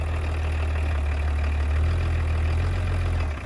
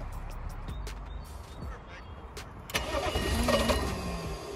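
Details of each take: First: Roughly 30-year-old BMW diesel idling after being revived from a no-start. Steady, even low rumble with no knocks or misses, and no clunks as the automatic is put into drive and reverse: normal idle. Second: Old BMW diesel that stalled while driving and wouldn't restart. Starter cranks steadily at three to four beats a second but it never catches, with a quarter tank showing. No fuel is reaching the engine because of a broken fuel shutoff valve wire.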